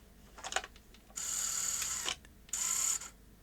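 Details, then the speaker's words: Sony SL-HF600 NTSC SuperBeta VCR, syscon pin 16 input at about 4.7 V, as a cassette is offered: two short motor whirs with light clicks as it laces before the tape is even driven down. "that's just not logical is it because it starts lacing before the tape is in uh before it's not even trying to drive it down"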